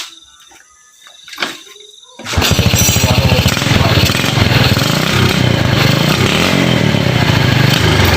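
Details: Uneven, choppy beat stumbling under throttle instead of pulling clean on a Yamaha Jupiter Z single that sputters when gassed; dirty or corroded connections suspected, spark plug and ignition checks next, cause unconfirmed.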